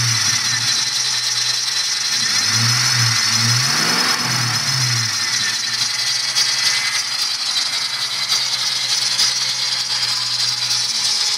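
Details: 1997 Ford Mustang Cobra, 120k miles: thin high squeal over idle that climbs with engine RPM when blipped, louder right after start and quieter once running a while but never gone; cause unknown.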